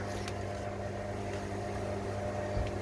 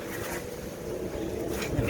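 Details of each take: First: Salvaged Fisher & Paykel Quicksmart front-load washing machine set to spin, door lock closed, drum not yet spinning: steady low hum with constant mid tone, no knocks or grinding; drain pump running. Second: Fisher & Paykel Quicksmart washing machine found at dump, test run: steady hollow rumble and low drone; drum bearing worn out, would be very loud on spin.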